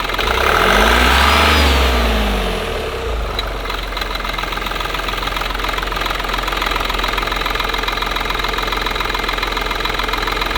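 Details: Opel Astra K, three-cylinder turbo diesel LXD D15DVH: a quick rev falls back to idle with a steady, fast clicking knock from the drive belt pulley.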